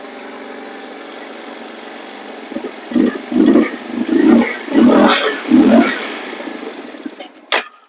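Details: Neglected Yamaha Warrior 350 quad, first start with choke on: single cylinder catches in five or six ragged bursts, stumbles and dies.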